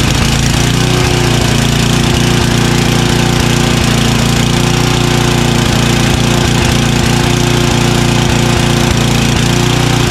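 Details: Craftsman 29-inch snowblower with 9 hp Tecumseh engine, after carburetor cleaning that cleared the clogged pilot jet which caused surging: steady low idle at the bottom of the idle range, firing evenly with no hunting; normal idle after repair.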